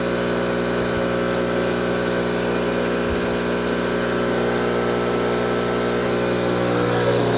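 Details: Tuttnauer 2540EA autoclave water fill pump running after repair, the unit previously not filling with water: a constant, even hum with a steady low tone and no surging, rattle or cut-outs, normal running.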